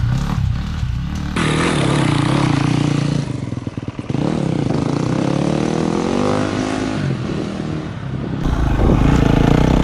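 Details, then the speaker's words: KTM 250 SX-F four-stroke dirt bike, after sitting a year, revved after an oil change: single-cylinder bark picks up and revs freely with some handling clatter, no knocking or rattles; bike works great. "so yeah I'm pumped bike works great"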